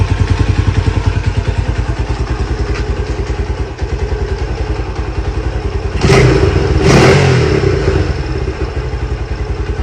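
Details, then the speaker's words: Lifan CityR 175, 10,800 km, cold, first start after a cylinder and piston replacement for a knock, carb flooded: even steady single-cylinder beat with clean firing pulses and brief throttle blips. Normal running. "І по-друге, просто А він холодний, але все працює, все нормально."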